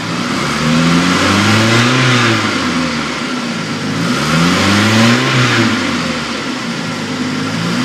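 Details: 2000 Chevy S10 2.2 four-cylinder petrol revved twice, with a coarse rattle riding over the rising engine note; source unknown, owner asking what it is.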